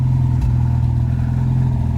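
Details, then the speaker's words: Hillman Super Minx after carburettor rebuild, during tuning, Cherry Bomb rear box: a low, steady engine drone with an even beat and no misses or popping; normal running, picking up fine and not over-fuelling. "so it does seem to be running quite well [Music] but it seems to be running happily yeah"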